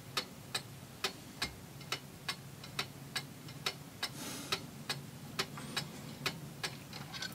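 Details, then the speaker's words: Antique Seikosha wall clock, movement reassembled after repair, while being put in beat: crisp, evenly spaced ticks about two and a half per second, tick and tock matching in loudness and spacing; the clock is in beat. "Okay, that sounds good, and this crutch wire is actually not exactly in the middle of where the pendulum hangs, so I'm just going to bend that back a little bit this way."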